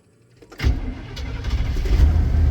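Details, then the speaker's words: 1988 OBS truck after fuel pump replacement (new strainer, hose and clamps), sat about a year and a half: engine catches on first crank and settles into a deep, steady, even rumble; normal healthy start and idle. "when it has a good fuel pump in it it actually runs pretty good for it to be sitting for like a year and a half"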